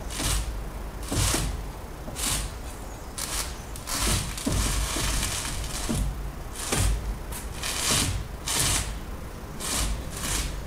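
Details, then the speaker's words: Peugeot (Bipper) with the engine off. Harsh clacks come in bursts about once a second as the steering wheel swings. A front-left steering or suspension joint is clicking; the exact part is not confirmed. "سمعتوا هذه من الجهة الشمال تو من الجهة اليسار الصوت هذايا."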